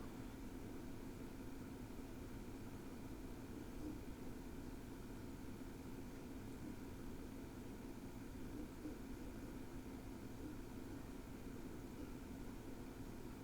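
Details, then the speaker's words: SSD-equipped NAS under heavy load, indexing media at 80–85% CPU and drawing 32–33 W: soft, even fan hum that rises with load, with no ticks, rattles or pitch swings; normal cooling fan noise. "the fan noise increased but really that was it listen for yourself"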